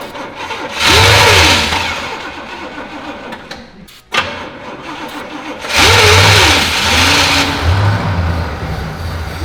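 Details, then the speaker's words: Abandoned 1971 Pontiac GTO V8 sitting about 12 years, jump pack ground moved directly to engine after no-crank grounding issue: starter cranks briefly, engine catches and revs; twice, starting cleanly and settling each time. "looks like it's a grounding issue cuz I moved the ground on the jump pack over here directly to the motor and it actually cranked over"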